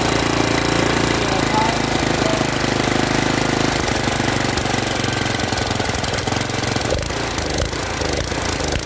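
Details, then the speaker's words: Briggs & Stratton tiller, revived from flooded and seized after years in a junkyard, with a stuck valve freed: single cylinder chugging steadily under throttle with no misses or surging; normal running. "So that will do it for the Briggs and Stratton tiller. I think it turned out pretty darn good myself. Didn't take much work to get going, and works well. Sounds good."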